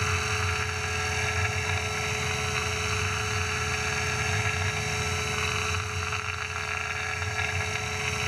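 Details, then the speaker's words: Tormach PCNC 1100 CNC mill on its first real job, roughing a 3/4 in aluminium plate with coolant after facing: a steady, even cutting roar with a constant spindle tone and coolant hiss, no chatter or squeal. A clean, successful roughing pass. "all right successful roughing pass check it out"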